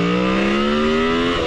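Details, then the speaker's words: Carbureted Honda motorcycle, not warmed up, running old gas: revs climb slowly and unevenly, then stumble on further throttle, a sluggish bog on opening. Owner suspects a vacuum leak, rich running or a stuck float needle, unconfirmed. "see how it's sluggishly going right now if I open"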